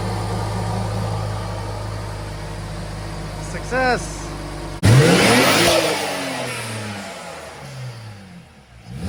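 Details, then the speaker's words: BMW E93 335i turbo six just after first start with ARM Motorsports full bolt-on kit: even low idle, then one sharp rev blip that rises and falls cleanly with no misses or rattles; normal revving. "All right, ready for the first fire. ARM Performance E93 full bolt-on kit. Starts."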